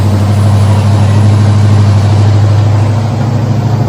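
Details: Freshly built 9-litre big-block V8 in a Ford Torino idling just after its first start: deep, steady, lumpy idle with an even beat and no knocks or ticks; normal idle.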